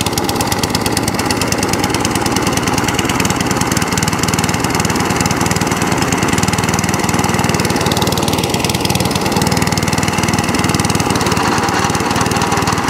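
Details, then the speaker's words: Cylinder mower after new cylinder gear and pulley tensioner, drive cable refitted: steady rapid firing at constant speed, even rhythm without knocks or grinding; drives and cylinder cuts in, running healthy. "So it was a bit of a fix up this end, but it all drives, and also the cylinder cuts in as well, which is fantastic."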